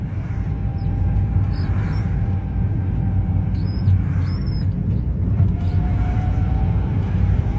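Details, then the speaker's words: Renault Sandero driving in third gear: a deep, steady growl with a faint whine under load; gearbox growl. It starts after about a minute of driving and persisted after the gearbox boot was replaced. Gearbox must be opened. "Olha o barulho do câmbio roncando. Terceirinha, ó. Aí."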